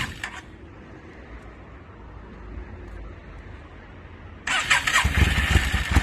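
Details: 2002 Yamaha V-Star 650, newly bought, possibly needing a full tune-up, on choke, rusty gas tank; quiet, then sudden starter burst with rough stumbling firing that doesn't catch cleanly. Hard starting, owner suspects flooding.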